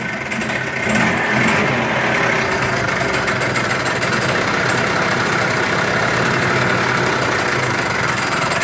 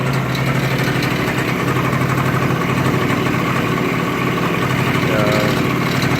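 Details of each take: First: Yamaha scooter engine (rebuilt with new piston, crankshaft, bearings and seals) idling with a fast, rattling knock; with the variator cover removed the CVT variator was found fully unscrewed and loose on the crankshaft. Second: Yamaha-type Chinese scooter, previously rebuilt with new piston, crankshaft, bearings and seals, after filing the variator cover so it seats properly, idling: even, low putter with no knock. The strange variator noise is eliminated.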